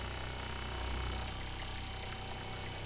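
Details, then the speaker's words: Kohree HY1733 12V 3.5 GPM 55 PSI diaphragm water pump installed in an RV reads about 68-69 dB on a meter, much quieter than the Shurflo 4008. It gives a soft, even low hum with fine pulsing and no knocks; normal running. "that is a huge difference in noise level and it sounds pretty apparent to me here just listening in the vibrations are a lot softer not nearly as loud"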